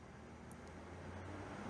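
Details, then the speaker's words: Electric cooling fan on Project Redfire driven by a junkyard Ford fan controller module (6E53-8C609-AA) via MS3Pro, low duty then ramping toward 50%: smooth airy whoosh building, no squeal or pulsing thanks to high-frequency output; normal cooling fan operation. "this fan is on and notice it doesn't have any like squealing pulsing or anything weird this controller's output a very high frequency that runs the fan super smooth"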